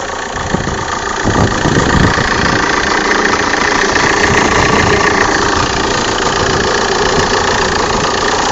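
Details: Opel/Vauxhall 1.9 CDTI diesel, cold start idle: uneven knocking about three or four a second with vibration, gone after 3 minutes warm; dual-mass flywheel replaced a month earlier; cause not identified.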